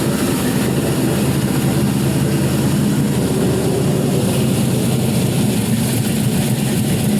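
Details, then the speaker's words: LY6 6.0L gen 4 LS with 5.3L 706 heads and a 220/224 @.050, .575 lift, 112 LSA cam, with an untuned base tune: loud, loping cold idle with about 50 psi oil pressure cold. "about 50 psi cold you can hear that this is untuned for the most part gold idle"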